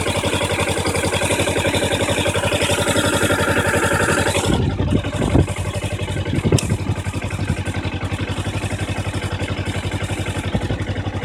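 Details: 2012 Kawasaki Ninja 250 at idle, mostly after warm start: thin high squeal with clutch lever pulled, audible near front wheel, stopping instantly on release; clutch-side squeak.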